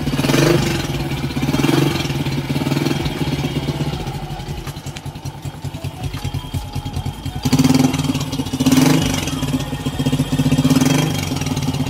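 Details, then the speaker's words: 2003 Honda Wave Alpha 100cc, first start after overhaul replacing a loose countershaft transmission bearing: single ticks over evenly with a couple of light blips, settling back smoothly; no knocks or rattles, healthy, only the loose handlebar is slightly noisy. "Pati dito sa chasis pero yung makina sulit napakatahimik na medyo maingay lang yung manela kaya makalog siya"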